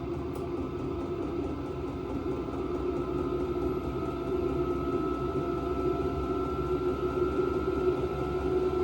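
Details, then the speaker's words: VEVOR 8K diesel heater in an enclosed tool trailer, cranked to maximum level 10. Steady fan hum with quick faint fuel-pump ticking, pitch creeping up as it reaches full output; running normally. "There she is. She's humming now. Now the heat is blowing right at that VEVOR bag."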